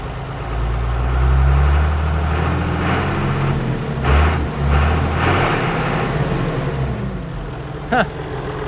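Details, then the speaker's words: John Deere 7420, second start on old Stanadyne DE10 pump with ECU 1076 fault, before pump replacement: diesel catches, surges and dips in uneven chugs, then settles to lumpy idle; rough start, pump suspected. "Let's try it again and see if it'll act up. Yeah, gave it a little chug there again."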